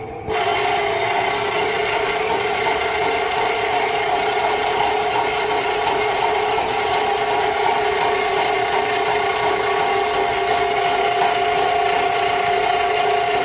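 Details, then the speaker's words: Rental sewer snake clearing a slow home drain line: steady motor drone with a rattling whir and constant pitch, cable under load chewing through something. Owner suspects tree roots. "yeah it's digging through something out there right now so it's probably just tree roots"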